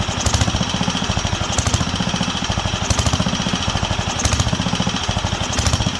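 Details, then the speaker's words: Wisconsin AENL single-cylinder barn-find engine on its first run in 20+ years, after restoring spark and cleaning the fuel system and carb. Popping swells and sags about every 1.5 s. Surging; owner says there is not enough fuel on the high-speed circuit, likely fuel-starved. "yeah not enough on the high speed"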